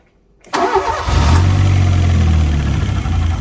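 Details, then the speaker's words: Fiat Punto GT idling after a few minutes' warm-up; it starts poorly when cold. A lumpy idle with an uneven breathy chuff about three times a second, and revs fluctuate when carb cleaner is sprayed, revealing an intake manifold air leak. "So what I'm going to do now, a bit of carb cleaner, just to see if there's an air leak anywhere. Yeah. So we've got an air leak on the intake manifold somewhere. Yeah, 'cause you can hear the revs fluctuating every time it gets a little bit of extra combustibles."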